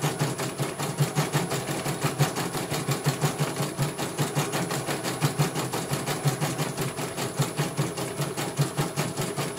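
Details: CNY computer embroidery machine from Banjarnegara, Central Java, test-stitching after service (dynamo motor earlier wouldn't spin at all): steady, even, unhurried needle thumps with a faint high whine behind; one colour finished, result very good, normal stitching.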